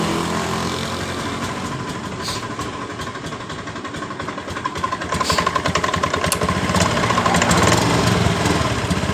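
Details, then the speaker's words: Honda Beat ESP scooter: steady idle, but opening throttle brings uneven sputtering, power loss and stalling; fuel starvation from a weak pump. "perhatikan motor ini ketika kita tarik tuas gas motor ini brebet atau hilang tenaga"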